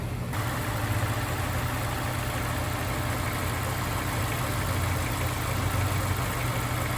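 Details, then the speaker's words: Honda S2000 that sat 4 years, after full fluid service and injector cleaning, idling while bleeding fresh coolant with bleeder bucket on: steady, even low rumble, no misses, dips or knocks; normal smooth idle. "So you hear how smooth the motor is. We're still bleeding it."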